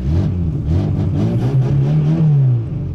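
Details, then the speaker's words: Tuned 1999 VAZ 21099 with an Akrapovic exhaust, warmed up, revving: deep rev swells and drops with a raspy, puffing edge over the exhaust note; exhaust leak, location still to be found. "Надо разбираться откуда он сечёт"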